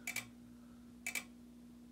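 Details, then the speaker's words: Simplex SmartSync-only horn/strobe on 24 V from a Fire-Lite panel via sync module, manual activation: quiet double click about once a second over faint steady hum, two strobes happening to flash in sync; normal strobe clicking. "other one is going as well in fact they're in sync right now they're not hooked up to each other it has happened to be pretty well in sync at the time"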